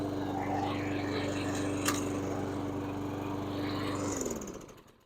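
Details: Stiga Combi 53 SEQ lawnmower after DIY electric-start repair with cheap relay and push button: runs at a steady, even pitch with no misses for about four seconds, then winds down cleanly. Healthy.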